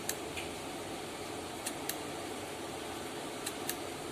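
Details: LG inverter washing machine control board on the bench after component replacement, powered at 110 V AC through a series light bulb, red LED steady: sharp, dry relay clicks at uneven intervals, about one every two seconds, over a faint hum; whether this is normal is unknown.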